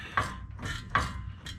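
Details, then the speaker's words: 2008 Dodge Ram 2500 Cummins 6.7L, front driveline wiggled by hand: a distinct clunk about once a second, the noise first blamed on the ring and pinion, traced to a worn universal joint cap. "I found my noise over there. In fact, you can see that cap. Let's get a close-up. You can see that cap is just about worn out."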